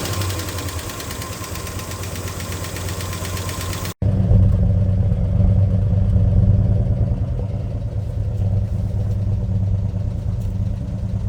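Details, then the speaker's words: 1965 Ford Mustang 289 V8 barn find, parked 29 years, running on fuel primed in the carb, no coolant yet: steady low burble with even firing beat after a brief cut, idling cleanly; runs like a top. "Uh, it actually runs like a top. It sounds pretty good."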